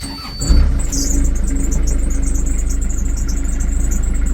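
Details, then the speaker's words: Narrowboat diesel engine cold start in neutral with revs slightly raised, glow plugs used, not very cold: starts first time, thin squeak over low even chug of idle; squeak cause unclear, fuel bug suspected in general. "if you can hear the squeak she's actually started first time this morning"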